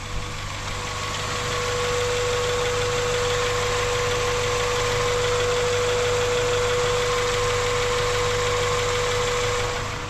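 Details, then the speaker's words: 2001 Honda CR-V EX, B20 engine, manual, all-wheel drive, aftermarket intake; even, steady idle with soft constant hum, no knocks, ticks or misses, pretty quiet and smooth; normal idle. "Pretty quiet, pretty smooth."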